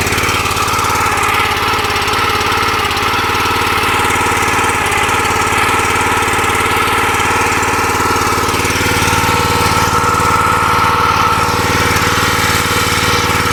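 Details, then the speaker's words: New log splitter's small engine, which owner says must run at least half throttle and stalls at idle; loud steady run with a buzzing rattle like a loose vibrating plate; excessive vibration rattle. "Okay, now I'm going to show you all how bad this thing vibrates when it's at an idle, and it will actually stall."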